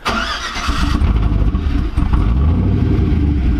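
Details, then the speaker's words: Hummer H3 with new 4L65E transmission and Truck Norris cam, needs a little throttle to start: short crank, catches with a throttle blip, settles into smooth, even run; healthy start. "You got to give it a little throttle to get it started."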